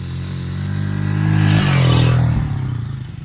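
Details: 1977 Honda XL75 marketplace dirt bike after revival repairs and a new fuel shut-off, carburetor bowl previously dribbled fuel: small single fires crisply, revs smoothly and settles to an even, steady beat with no knocks; runs healthy.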